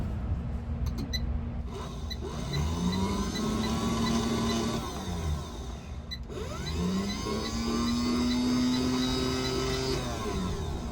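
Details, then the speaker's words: New passenger-side power window motor for a 1980 C3 Corvette, bench tested before installation: small motor spins up with a rising whir, settling into a smooth, even hum over two short runs; works fine, unlike the weak, clanking old motor. "So, as you can see, I bench tested the new motor. It works fine."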